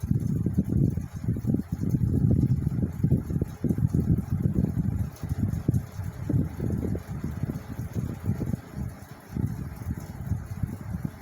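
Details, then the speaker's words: 1979 Cirrus 70 cm all-metal pedestal fan (150 W, 110 V, 4 µF capacitor, 2 speeds) on minimum speed: a soft, low air rumble with no rattle; the heavy blade is slow to spin up. Not very noisy. "Ele, na velocidade mínima, pessoal, ele não é tão ruidoso, certo?"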